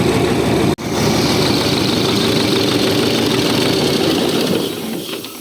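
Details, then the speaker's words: Freshly rebuilt tractor diesel at idle: rough, lumpy idle with a steady airy hiss over the clatter. Intake air leak at a hose drawing in air; the hose and spacer are to be replaced. "заміним шлангу бо воздух підпускає"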